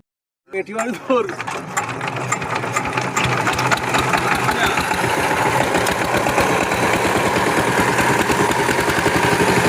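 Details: Power tiller single-cylinder diesel that made a tapping sound and would not take load, after the injector nozzle was replaced, catches quickly and settles into a steady, even three-beat-per-second thump, running clean.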